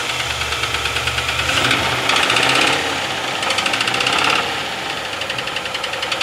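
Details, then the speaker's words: 2018 Nissan NV3500 van, about 50,000-60,000 miles, skipped oil changes and sludged engine: sharp metallic knock three or four a second, louder with revs; rod knock from oil starvation, metal found in the oil filter. "okay everybody knows what that sounds like and it ain't good sounds like we got a rod about ready to go"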